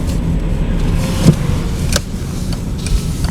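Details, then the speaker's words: VW Passat B5 driving over bumps after suspension work: dull single thuds over road rumble, about three in a few seconds, front left and right; front suspension knock, likely faulty parts, rubber mount suspected first. "такой неприятный стук вот вот слева сейчас было и справа тоже"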